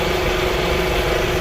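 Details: 2004/2005 Toyota Camry after no-crank, no-start repair: smooth, even low idle with a steady rumble and no knocks, misses or squeals; normal idle.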